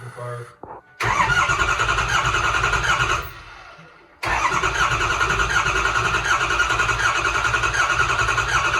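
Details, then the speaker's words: First start of a 2006 6.0 Powerstroke diesel swapped into a 2003 Ford F350: catches after a short crank, runs rough, sags almost to nothing, then refires; hard starting as the high-pressure oil pump took time to build pressure. "it was hard to start took a little bit for the high pressure oil pump to uh high pressure oil"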